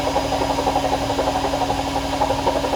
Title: My AEG Washing Wachine Rattling Sound